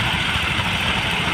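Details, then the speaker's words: Honda Vario carburetor scooter after its juddering clutch bell and clutch linings were sanded flat and cleaned: short even run with no shudder or lurch; the clutch now takes up smoothly and the judder is gone. "sekarang eh suara atau bragg getaran gregetnya sudah hilang ya"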